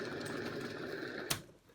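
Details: Kids' balance bike front wheel spun by hand for comparison whirs smoothly and evenly, a healthy bearing with no crunch, unlike the rough rear bearing.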